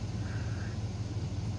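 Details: Chevy S10/GMC Sonoma-type truck after an alternator change, idling as oil pressure and voltage come up: low, even rumble with a smooth steady beat and no knocks or squeals; normal healthy idle.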